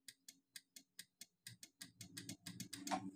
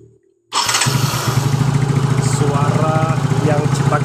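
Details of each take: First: Yamaha Mio J with electric starter failing, battery confirmed good; key on, starter pressed: sharp clicks about four or five a second, quickening, with no cranking; starter motor carbon brushes worn thin. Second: Yamaha Mio J scooter after fixing dead electric starter, previously ticking instead of cranking: quick crank catches immediately into even throbbing single-cylinder idle, no starter ticking. Normal electric start.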